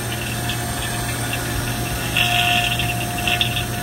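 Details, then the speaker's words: Vacuum pump evacuating an RTU refrigerant circuit after leak repair, before recharge: steady hum with airy hiss, louder when air is introduced and slowly quieter as vacuum deepens; normal vacuum pump operation. "so if you listen closely you can hear the sound it's making and when we introduce some air into it like this that's the noise it makes it slowly starts getting quieter like that as the vacuum gets deeper"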